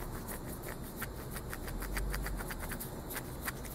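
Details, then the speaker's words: Align BL650L motor bearing spun by hand after removal; gritty, uneven clicking rasp several times a second as it coasts down; a rough bearing suspected as the cause of the vibration, to be replaced. "but I'd say highly likely that's where my vibration is so that's going to get replaced and that'll be the end of that drama"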